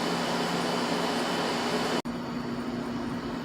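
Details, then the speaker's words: Scrap window AC unit recharged with R-152A after losing its R-22, running about 45 minutes: smooth even hum and steady fan air, no rattles; still blowing cold, coil cool, compressor sounds fine, making condensation. "whole coils nice still nice and cool and uh it's running great compressor sounds fine it's uh definitely definitely putting out some condensation"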